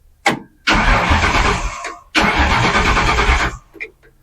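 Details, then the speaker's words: Truck cranking over before first start in years: two even cranking bursts of about 1.5 seconds but it never fires, because the Ron Francis ignition wiring connection has not been finished yet. "Uh, that's it turning over. Um, it's not going to start because I have not finished the Ron Francis. I have not made that connection yet."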